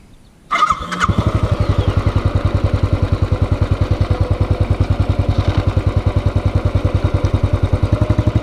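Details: Hot motorcycle idle after a short ride, with the engine replaced (including starter, internals, throttle body and fuel injector): it catches and settles into an even thump, about 2.5 beats a second, with no knock and quiet valves.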